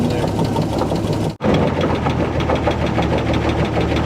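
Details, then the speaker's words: 1948 Chevy inline six, abandoned 58 years, on its first revival run. A deep, steady thump from the bottom end is felt at the oil pan and block: a rod knock. Oil is not reaching the top end and is leaking everywhere. "I can feel it I definitely think I hear a rod knocking when I put my hand on the oil pan or the block I can hear a thump or I can feel a Thump Thump Thump you can hear it right now probably in the video"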